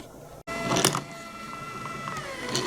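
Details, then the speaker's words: Marble run ball lift with no slack at one position: thin motor whine sags in pitch, then recovers, as the lift binds at a tight spot and drags the motor; cause not yet found. "It's got slop and when it's running you can hear the motor slowing down"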